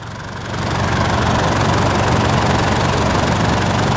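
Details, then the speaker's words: Engine idling after the noisy part was replaced with a new one: steady, even, quiet hum with no knocking or ticking, the earlier loud noise gone. "นี่นะครับหลังจากเราเปลี่ยนอะไหล่ไปแล้วเราติดเครื่องแล้วมาฟังเสียงครับเสียงมันเงียบแล้วครับไม่มีเสียงดังอีกแล้ว"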